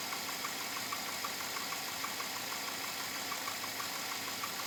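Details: 2007 Chevrolet Avalanche at about 86,000 miles, idling: light, regular ticking knock about three per second; owner unsure if engine knock or piston slap, unresolved after four dealer visits.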